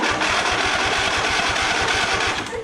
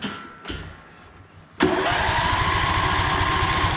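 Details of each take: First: Lawn tractor, John Deere 145 or Cub Cadet LTX1050 sharing the same 724cc engine, fully charged battery: sluggish cranking about five beats a second with a harsh grinding edge, much slower than the identical engine; starter probably to be replaced. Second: One of the lawn tractors compared (John Deere 145, Cub Cadet LTX1050, Murray Select), battery fully charged: a few quiet knocks, then it catches at once into a quick, even chug. It cranks faster than the other mower, whose starter sounds nasty.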